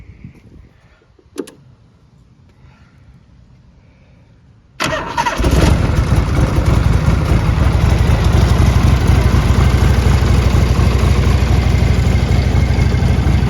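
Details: 1981 Harley-Davidson Tour Glide Classic FLTC Shovelhead 1340cc, 37,447 miles, ridden, clutch and gears fine: quiet hiss, then starter catches and the big twin settles into a loud, steady, lumpy idle; healthy start.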